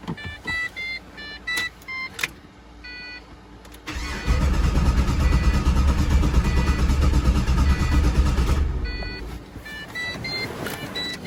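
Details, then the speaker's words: Pontiac GTO from a clip of last year's identical fault: the fuel pump is heard running, a chime sounds, then about five seconds of steady cranking that never catches. Crank, no start from no fuel pressure. "Don't start. No fuel pressure."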